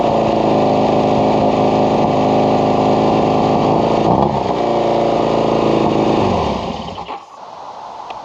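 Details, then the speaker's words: Kawasaki KZ750 vintage four-cylinder with its original battery (12.46 V before start), intermittent-running problem being troubleshot: steady four-cylinder burble even at idle, then dies away; charging works, nothing mechanical out of place. "seems to be charging, so mark that off the list."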